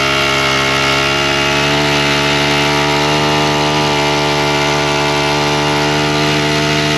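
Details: Husqvarna straight-shaft string trimmer, two-stroke, primed and started on choke then half choke with throttle; smooth even drone at steady pitch, no stumbling or surging; owner still suspects bad gasoline (trash seen in fuel). Normal running.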